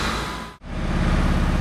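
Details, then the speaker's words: 1992 JDM Honda H22A in an EK after wiring harness repair and broken TPS fix, previously high idle: now a steady, smooth idle with even low pulse and no misses; still needs ground upgrades; normal idle. "you guys can hear this mortar turn like a kitten voice for a 1992 jdm spec sounds good it's idling good"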